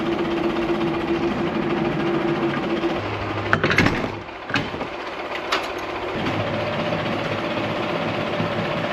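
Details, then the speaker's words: 1959 Allis-Chalmers D17 tractor after tune-up and new exhaust, lifting a plow to test hydraulics: even steady engine note holding speed with a brief clunk midway; engine runs smooth and healthy, lift rises slowly. "It sounds good. Nice and smooth. I think we should go out and run this around a little bit."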